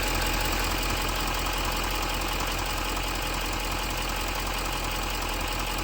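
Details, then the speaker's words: 6.6L Duramax diesel Silverado/Sierra after replacing the failed exhaust clamp at the turbo downpipe base (exhaust smell in cab at idle): steady, even diesel clatter at idle with no puffing or ticking from the exhaust; normal idle. "So we'll fire it up, test it, and then pop the wheel well cover back in, and off we go."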